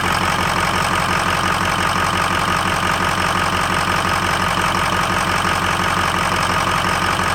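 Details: 2003 Ford F-250 6.0L Powerstroke diesel at startup: constant clatter at idle with a lumpy, stumbling pulse under it; rough idle, possibly missing on a cylinder.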